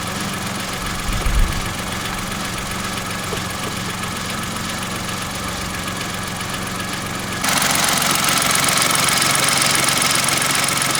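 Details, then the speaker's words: Kia engine at idle after an oil and filter change and degreasing, microphone preamp turned up: a faint, regular tapping knock, roughly three per second, holding steady; a definite engine knock. "there's the definite now now we've changed that oil it's there's a definite knocking there now"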